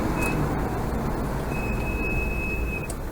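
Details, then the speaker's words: Land Rover on the road, squeak reported between first, second and third gear; high steady whistle rising and holding over a second each time brakes are applied over road rumble; brake squeal, cause not confirmed. "Oh, that's a lovely one, isn't it? Maybe we can get a tune out of it. It's whistling like Roger Whittaker, or should I say the late Roger Whittaker."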